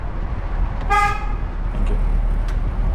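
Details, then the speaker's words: Learner's car horn on a mock driving test in Hendon, sounded when asked by the examiner: one short, clear toot of about a third of a second over quiet road rumble; horn normal and strong. "obviously when it's safe you can show me how to use your horn please"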